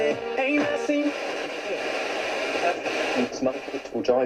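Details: Hacker Sovereign 2 RP25A radio, which was not picking up stations, after the faulty pushbuttons were found: clean station audio with music and voice coming through steadily, no hiss, crackle or dropouts. It now receives properly, though the dial pointer is still off.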